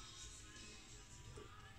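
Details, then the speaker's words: Used NAD C320 amplifier with weak, humming left output and scratchy balance pot: with volume fully down, quiet music still plays through one channel; volume control leakage, owner suspects roughly 13 capacitors need replacing with 100 V parts. "kotor potensio balannya ya kalau volumenya ini enggak dan bocor itu masih bocor"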